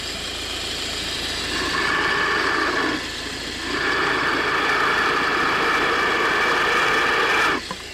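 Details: Volvo V50 1.6 diesel with high-pitch whining noted over recent thousands of kilometres, listened at belt and tensioner with mic at idle: even whir with a smooth constant high note, no chirp, squeal or rattle; tensioner and belt running quietly.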